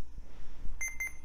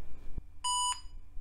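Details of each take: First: Retro laptop powered on with main battery removed; several short high beeps over faint hum after POST, hard drive initializing, boot complaint likely from a bad CMOS battery. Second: Retro laptop after CMOS battery replacement (CR1225) and clock set: one short clean beep of about a third of a second, then quiet; normal single POST beep, boots to Windows 95 with 16 MB RAM.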